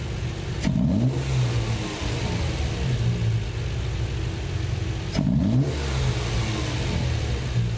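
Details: Triumph TR6 with Patton Machine TBI fuel injection after ECU memory reset, with a collapsing hose fitted: two quick blips rise and fall with no hesitation as ECU has learned; normal throttle response.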